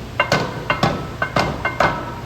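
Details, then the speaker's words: Roller coaster lift hill anti-rollback device giving sharp metallic clacks in quick pairs about every half second; normal ratcheting that holds the train if the chain breaks or power is cut. "If the chain happens to break or ride power gets cut, this is what holds the train where it is so it does not roll back. That's why it's called an anti-roll back."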